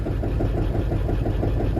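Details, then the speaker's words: Diesel burnout truck at idle: lumpy, uneven beat with a recurring stumble; cylinder contribution test points to a dead cylinder, either 4 or 5. Dead cylinder misfire. "Now these cylinders are trying to pick up for the dead one. It's either 4 or 5 that gives me a good idea."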